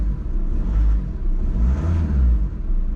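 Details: High-mileage VW Scirocco: deep, smooth engine rumble swelling and easing with the revs, no knocks or rattles; engine sounds healthy.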